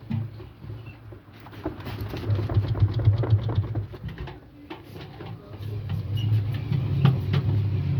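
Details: Indesit washing machine: short creaky squeaks, about four a second, over a low drum rumble as it turns; cause unknown.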